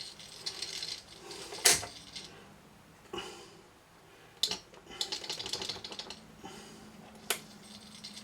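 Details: Garrard SP25 Mk4 turntable running: irregular light rattles and sharp clicks from a part that came off the bottom of the motor; to be reglued.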